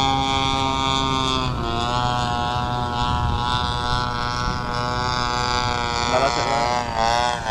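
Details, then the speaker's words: TU 26 two-stroke engine in a converted RC trainer plane (186 cm span) during maiden flight: high steady buzz then wavering and dipping near the end; sputtering, owner suspects fuel, not confirmed. "mesinnya tersendat-sendat? Bahan bakar? Agak terlambat."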